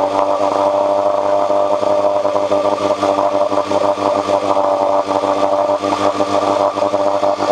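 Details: 1986 Johnson 4 hp Seahorse two-stroke outboard after cleaning water passages for overheating: steady speed, smooth and even, no rattles or stumbles; strong water flow, head temperature down from almost 190 to about 80–120.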